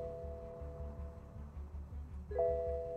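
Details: 2016 BMW F30 during scan-tool session, key cycled: several ding-dong warning chimes over background music; car had stored power steering faults, used EPS module not coded for the vehicle.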